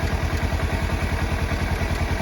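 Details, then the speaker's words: 2017 Kawasaki Versys X300 parallel twin after cutting into the solder of the hand starter switch contact: it starts straight away and idles with steady, even, low thumping and no stray knocks. A normal, healthy idle. "Good Start straight away that's a good clean start contact"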